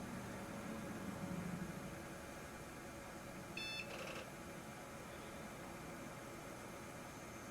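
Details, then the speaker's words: Windows XP digital picture frame PC with a bad hard drive, after the partition was resized, first boot back in place: low fan hum and a single short POST beep, then quiet normal booting. "okay we have booted and now it's going to back up all of my"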